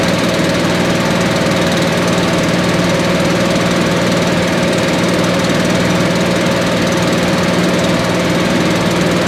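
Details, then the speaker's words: Billy Goat leaf blower, Briggs & Stratton 9.5 hp single found headed to scrap, sooty plug, low compression, slightly choked: loud steady thrum at even speed without sputtering, running properly. "think that's pretty awesome. It ran really good."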